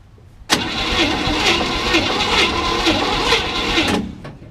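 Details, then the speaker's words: 1967 Chevy C10, 327 V8 with 11,200 miles, sat since 1985, dried-up fuel system, timing just adjusted: starter cranks steadily about two turns a second for over three seconds, never fires; cranking no-start, battery, timing or lack of fuel suspected. "Think that's battery? Do what? Do you think that's battery or timing? You know? I think it's just not got enough gas."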